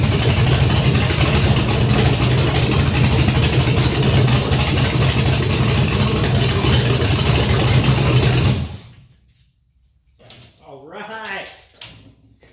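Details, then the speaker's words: Junkyard GM LS 5.3 V8 first run on engine stand with FiTech Ultimate LS kit, 20 psi oil pressure, no coolant, short run; even idle with steady low rumble, perhaps slightly rich, no knocks or misfires until shutdown; normal idle. "Sounds good. And we have a runner. So I think the thing sounds pretty good."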